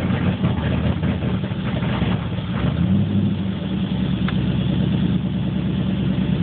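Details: 1980 Corvette with TPI V8, warmed up after driving: hard start, then rough idle needing throttle, then hunting idle swelling and sagging between 500 and 1000 rpm every few seconds.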